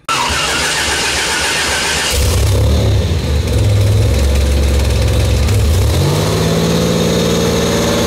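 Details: Buick Grand National, new engine, second 10-minute cam break-in run: catches after a brief crank, revs up, then holds a firm, even high-speed run with no knocks; healthy.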